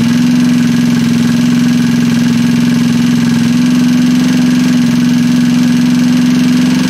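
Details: Freshly assembled Trailmaster 150 stroker single-cylinder engine, cleaned head and valve job, first start: steady, even buzzing idle with no knocks or misses; healthy.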